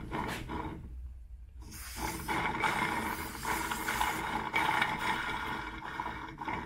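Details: Yamaha YZ 125 two-stroke engine during rebuild, bearing spun by hand on the bench: a rough gravelly growl rises and falls, pointing to a worn crankshaft bearing, even though the part was thought new.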